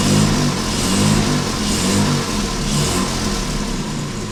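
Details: Jaguar Mk2 (budget build), first start in years with automatic enrichment device removed: engine fires and settles into an even, steady run with a smooth low beat, no knocks or misses; normal running.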